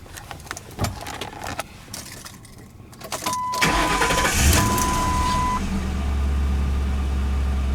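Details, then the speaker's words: 2009 Ford Crown Victoria Police Interceptor V8, 184,000 km and about 8,000 idle hours: brief crank, quick catch, then a smooth, even low idle with no misses, knocks or ticking. "that definitely idles very smooth"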